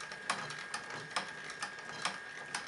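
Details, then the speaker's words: Live-steam model locomotive idle set to minimum, about one revolution per second (60 rpm): soft, even chuffs about twice a second over a quiet background; a very correct slow idle. "voilà à peu près le ralenti qu'on peut obtenir environ un tour à la seconde ça fait 60 tours minute c'est déjà ralenti très correct"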